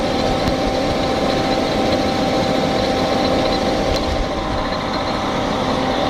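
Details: 1998 Fiat Marea engine at idle: constant light rattling hiss with faint irregular ticking over a steady idle; abnormal engine noise, cause not evident.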